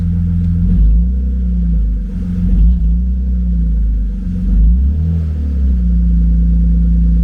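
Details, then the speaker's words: BMW E36 convertible straight-six after cylinder head and cams replacement, first run warming up, check engine light still on, smoke from headers thought to be old grease: deep smooth rumble rising and falling with throttle blips, no misses; normal revving. "That sounds a whole lot better. All right, guys. Well, it runs, and it definitely sounds like it has 6 cylinders. Sounds nice and smooth."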